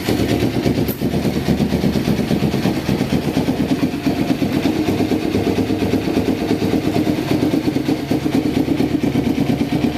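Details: 1993 Kawasaki Vulcan EN500 bobber project after reed/air suction valve removal and carburetor install and synchronizing, warming up: steady slightly lumpy twin-cylinder beat settling into an even idle, no knocks or misses; running properly.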